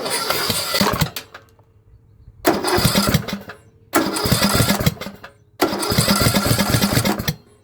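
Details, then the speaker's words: Craftsman LT2000 riding mower that sat for years and was said to run super loud, cranked with spark plug wire off: harsh loud cranking in three long bursts, never catching; exhaust blockage ruled out, valve problem found, valves to be opened. "No, that's not the case. So we do have a valve problem. We are going to have to open up the valves, and sadly we're going to have to open up them and take a look."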